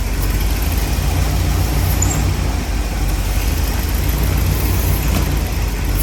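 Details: 1968–72 Corvette C3 engine idling during pop-up headlight and wiper door vacuum system repair, supplying vacuum; deep steady idle, even low rumble, no misses or knocks.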